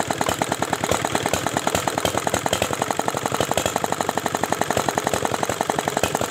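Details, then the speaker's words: R175 single-cylinder diesel previously dismantled by its owner, test start after refilling oil and water: loud thumping about eight beats a second, wavering and uneven, speed hunting; injector timing adjustment did not smooth it. "Nah sekarang kita akan coba tes hidupkan Ya seperti Apa hasilnya lihat sobat diesel ternyata gasnya tidak rata ya"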